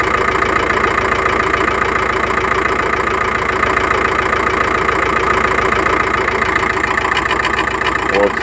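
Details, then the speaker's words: Volkswagen T5 van engine at idle in for diagnosis: runs evenly, not misfiring, but a light tapping knock about three or four times a second, suspected under the valve cover; cause unknown. "слышно, что-то простукивает, непонятно что. Двигатель работает четко, ровно, не троит."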